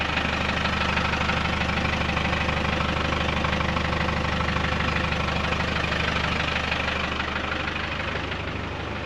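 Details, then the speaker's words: Land Rover overland pickup at idle with only a cherry bomb silencer fitted: an even, steady pulse with no rattle or tinny buzz from the exhaust, sounding as it always has. "So that cherry bomb's been through many, you know, layouts of this truck, but that sounds fine. Doesn't rattle anyway."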